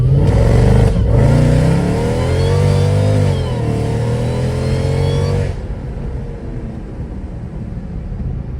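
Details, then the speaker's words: Mercedes E55 AMG V8 after maintenance, throttle body left open with intake not plumbed: full-throttle pull from cruising, pitch climbing smoothly with no misses, knocks or flat spots, then easing off; sounds healthy. "she sounds great so for example we're just cruising step on it I'm kind of trying to put it through its Paces"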